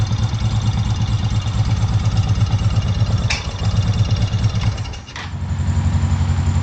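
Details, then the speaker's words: Honda PC800 Pacific Coast motorcycle, long-stored, after a carburetor cleaning and refit, spark plugs not yet checked: V-twin burbles at a steady idle with one brief dip, wants to choke out a little; running fairly smooth but needs more tuning. "Alright guys, as you can hear, it is running pretty smooth. So wants to choke out a little bit."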